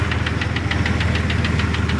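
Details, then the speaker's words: 2002 Jeep Grand Cherokee Laredo idling: uneven idle with loose regular ticking pulse over deep throb, missing; owner suspects faulty vacuum part (PCV valve/hose) affecting both brakes and engine, before repair. "you know the vacuum not working properly is making my brakes not working properly of course you notice you hear the difference in the engine that makes a difference in how the engine works too"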